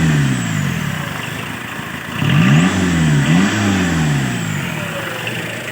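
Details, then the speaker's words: Diesel, worn engine, after servicing injector no. 4 and readjustment: even idle with quick throttle blips that pick up and settle cleanly; earlier knocking has stopped and smoke is clean, though not 100% perfect due to wear. "Sekarang cuacanya kering, dan inilah hasilnya. Ketukan itu sudah berhenti ."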